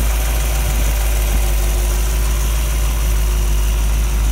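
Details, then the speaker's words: Model A Ford hotrod chassis with rebuilt 1965 283 V8, broken in, no street miles: steady smooth low burble at idle through temporary quiet mufflers, even firing, no knocks or ticks, good oil pressure at idle. "Mufflers, they're very quiet mufflers, temporary hung, so the break-in period, you can hear the motor."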